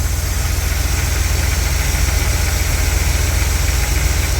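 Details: Carbureted 1959 Cadillac Coupe DeVille V8 with a slight knock, after setting ignition timing to about 14 degrees: deep, even idle with steady low rumble, no misfire or pinging; timing sounds right.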